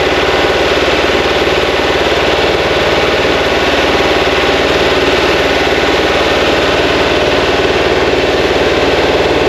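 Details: Freshly built 2180cc VW engine (92mm thick-wall pistons) for a 1968 single cab, first start and break-in with carb tuning and timing being set: a steady, even loping idle with carb hiss and no knocks or misses.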